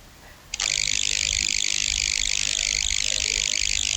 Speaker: power connect to this Buzzing sound, unplug to power connector no buzzing. microphone recording too Buzzing noise and output speaker Buzzing noise same problem.